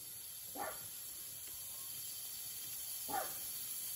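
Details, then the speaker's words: Turbo intake system pressurized to about 15 PSI with a DIY boost tester and air compressor: steady thin high-pitched hiss where soapy water bubbles reveal a boost leak; a dog barks twice. "see it it's leaking right there all these little leaks add up"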